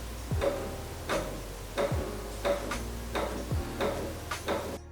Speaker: It has the Future Shocks headset and stem and the customer was complaining that was noisy and you'll hear that now.